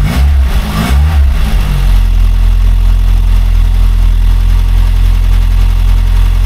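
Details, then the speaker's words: Rover P6 engine after replacing a faulty timing chain tensioner, started briefly without the cooling system: catches and settles into a steady, even idle with no chain chatter or rattle. Normal idle. "come on here you find a difference yeah brilliant sounds normal"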